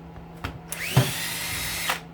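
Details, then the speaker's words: Cordless drill demonstrating an electric brake, in contrast with a hedge clipper that has none and whose blades coast. Whirs up to a steady whine, then stops dead with a short clunk: normal electric brake stop. "Listen to the clunk. See? That's the brake."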